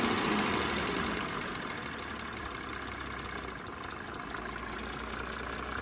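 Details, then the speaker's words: 1987 Mercedes 300 SDL OM603 six-cylinder diesel after replacing a squealing remanufactured alternator; even idle with steady clatter about three or four beats a second, no squeal or chirp, runs smoothly. "Smooth as silk. Nice job done."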